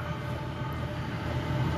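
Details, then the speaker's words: 8K diesel air heater on its first run in a temporary test setup: deep steady roar with a low rumble slowly building as the pump rate increases and heat comes up; normal ramp-up, owner wonders about a slow fire or break-in stage. "heat's coming up listen to that maybe it's got a slow fire stage"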